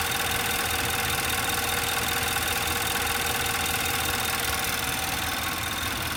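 Fast, fairly even metallic ticking rides on a busy idle with a light rattle; sounds like timing chain noise, unconfirmed.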